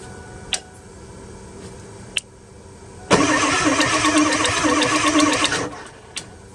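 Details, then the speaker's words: 2002 Ford F250 7.3 Powerstroke diesel, sat 2 years, cranked from under the hood with ether sprayed into the intake: steady rapid starter chug about three beats a second without catching, starting to get fuel and almost starting. "We're actually getting pretty close there. It's wanting to almost start."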